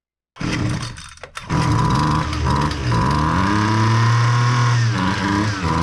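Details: Husqvarna 128L string trimmer after carburetor replacement for flooding no-start: small two-stroke fires after a brief stumble, then buzzes and revs cleanly without bogging; runs normally.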